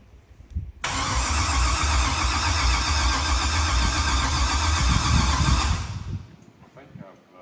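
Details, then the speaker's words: Old OBS truck, first start after build: starter cranks steadily for about five seconds with no firing. The tapped ignition wire has 12 V with key on but not while cranking, so the computer loses power and it cranks without starting. "it does not have 12 volts when it's cranking so the engine's turning over and the computer j"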